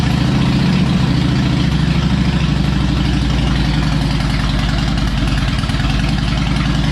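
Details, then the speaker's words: Harley Electra Glide owned almost five years, after new spark plugs, a cleaned air filter and fresh oil: deep, loping V-twin idle with steady uneven-firing beat, no misses or knocks, running better; normal idle. "all right i think she's running a little bit better youtube just a little bit now on a serious note though it really is running better"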